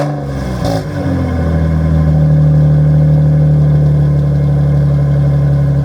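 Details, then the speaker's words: Nissan 350Z at first startup on the ground after fitting a cheap used aftermarket exhaust from Marketplace, tips damaged; settles into a smooth steady idle with a deep, loud exhaust drone. Runs fine, but owner finds it too loud, sounding worse than before. "I don't think it sounds better, so I think I'm going to be looking for new exhaust. Tips are screwed up. It sounds too loud for my liking"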